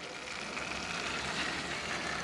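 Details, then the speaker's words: Tesla Model X electric coolant pump running with a loud, steady whirring hiss, with air bubbles heard in the coolant; the pump is damaged inside, is throwing an error, and must be removed, which requires removing the battery. "mais ça marche très bruyamment, en général, je vais retirer la pile et bien dans une gerbe, alors oui, mais c'est comme ça que notre pompe fait du bruit, dans tous les cas, il faudra l'enlever"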